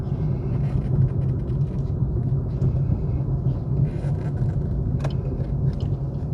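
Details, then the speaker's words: 2021 Suzuki Swift 1.2 GL Plus petrol at idle: low steady hum with even rhythm, barely audible, no knocking or shaking; smooth normal idle. "สวยถึงล้านแล้วหูนิ่มมากแทบไม่ได้ยินเสียงรถเลยนะโอเครื่องเดินเรียบไม่เขกไม่สั่นนะ"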